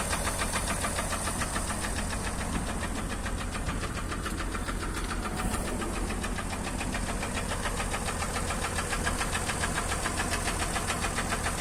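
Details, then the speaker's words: Acura MDX: a steady deep knock about 3.5 times a second over an even idle, sounding like a bottom-end knock. Engine knock. "Вот так, собственно, стучит."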